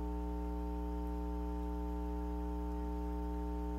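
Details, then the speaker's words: Suspected 1972 Fender Silverface Bandmaster tube amp (transformer dated week 44 of 1971), volume turned up: steady clean low buzz measured as about 60 Hz mains hum on the scope; faulty normal-channel input jacks are suspected rather than filter caps. "nd you're going to come up with about 60 hertz. So that's a 60 hertz hum."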